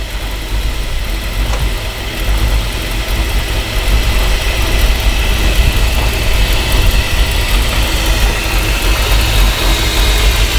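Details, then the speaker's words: Ford F-350 V8 that sat for years, started after a ground wire was reconnected: idle stumbles about once a second with a loose, shaky rhythm; a vacuum leak is suspected and fuel is smelled; rough idle, cause not confirmed. "running a bit rough it sound up the little boy"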